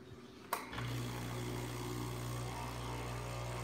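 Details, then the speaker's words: Breville Barista Express espresso machine: sharp click, then steady low electrical hum with faint buzz as the pump starts when the button is pressed; intermittent funny noise, cause undetermined. "Okay, let's try it one last time. Because whenever we press the button, you hear that funny noise,"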